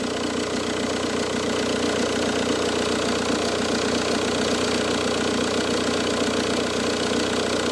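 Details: Car just after its inspection, having had oil in the coolant, cold and slow to start, with a tensor that moves a lot: steady idle with a coarse, uneven chattering rattle; owner suspects the tensor rather than the alternator.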